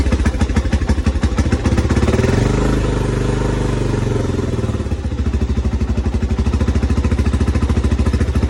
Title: 1987 trx250x first start after full engine rebuild